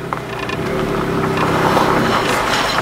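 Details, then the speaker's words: Smart Roadster with automated manual gearbox, first drive after a year in storage, pulling away with brakes released: faint scraping and whirring as the brake discs drag, very noisy. "the discs are noisy very noisy"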